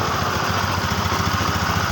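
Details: Yamaha Xeon scooter after repair, burnt stator coil replaced with a Jupiter MX one and original regulator refitted, battery charging again: even steady low putter at idle, no knocks, misses or rattles. Before repair it would not start and the battery kept going flat.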